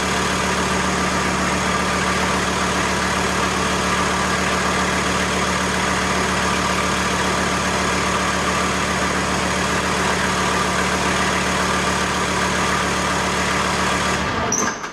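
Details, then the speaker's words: VW T4 with AAB diesel engine, 250 km driven, during idle check: even, steady diesel clatter at settled idle with no misses or hunting; owner judges the sound normal. "Joten ääni mielestäni on normaali."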